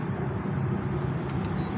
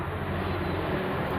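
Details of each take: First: Maspion box fan after repair of a fan that would not spin: steady, even low hum with no rattle or scraping; motor spins smoothly again. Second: Maspion box fan motor: steady low mains hum with faint rattle, blades barely moving and not spinning up; failed start capacitor, fan runs once a new capacitor is added.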